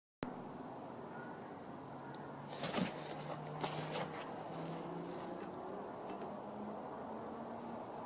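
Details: Suffolk Punch 30s mower, about 1991, single-cylinder, running after a new spark plug, carb clean and decoke: uneven idle with irregular louder bangs instead of a smooth tick; cause unclear.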